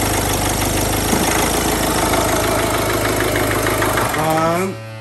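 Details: 2008 Mini Clubman R55 1.6 diesel (W40D16), parked two years, crank no start now fixed, intake pipes not all connected: steady even clatter for several seconds then winds down when switched off; normal diesel idle.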